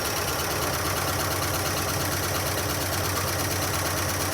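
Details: 1976 Dodge D100 Club Cab Adventurer, parked 13 years, first start: loud fast valve-train/lifter clatter over rough idle, lifters not pumping up; zero oil pressure, owner suspects bad oil pump (earlier guessed bent pushrod or bad lifters).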